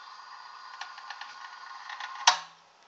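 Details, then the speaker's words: Faint scattered ticks over a thin hiss, then one sharp relay clack with a short low buzz. A screen-printing heat press (possibly a Workhorse) chatters when it cycles off after its fried relay and parts were replaced. Owner asks whether this is normal. "got it functioning again but um makes a chattering relay sound um in the relay I mean when it kicks off"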